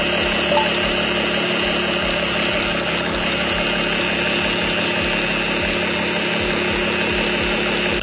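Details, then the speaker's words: 2016+ Lexus GS 350 at idle: steady, even-pitched buzz over a smooth idle, unchanged throughout; buzzing attributed to a faulty PCV valve; fix is replacing the PCV valve. "The other thing, too, is I came across this post on Club Lexus where this guy was having this buzzing noise."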